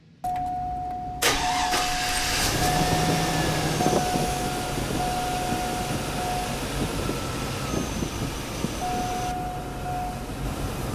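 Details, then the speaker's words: Truck started as a good example during slow/no-crank testing: brisk even cranking, battery voltage held up, quick catch and steady run with a chime; normal cranking and start. "now since this truck doesn't have an issue with it it didn't lose the the battery voltage didn't drop down"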